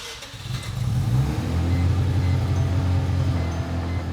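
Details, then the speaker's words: Mazda RX7 rotary after fitting a Power FC: rough, uneven low drone surging up and down, idle jumping between 1,500 and 2,000 rpm after earlier idling at 4,000; hunting idle, cause unknown. "started right up, but the idle was definitely not normal. All right, so as you can hear, the car is still idling like garbage. It went from idling at 4,000 to now it's like jumping between 1,500 and 2,000."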